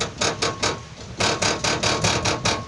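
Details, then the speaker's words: Car underbody plate struck: sharp metallic rattles in quick bursts that mimic shock absorber, control arm or ball joint noise; loose skid plate bolt. "Isso aqui faz tu pensar que é amortecedor que a bandeja que é pivô que é tudo que tu imaginar é às vezes não parafusinho bem aqui ó"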